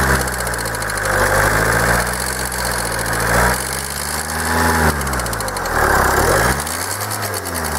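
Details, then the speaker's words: Kia 2.0 CRDi Bosch common-rail diesel at operating temperature, idling with a harsh clatter that comes in as revs rise and fall, especially lifting off; injectors suspected but source not yet found; intermittent knocking when hot. "No i tak jak widzicie przydźwięk jest bardzo niemiły by może już komuś znany"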